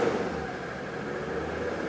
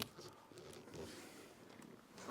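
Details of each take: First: Mercedes W123 300D, OM617 diesel reported dead, running after two hours of work; held at raised rpm with a steady even hum, smoothing out well; good oil pressure. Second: Mercedes W123 300D OM617 diesel reported dead, started after about two hours of work; lumpy, uneven clatter at idle, smoothing out when revved, good oil pressure; rough running.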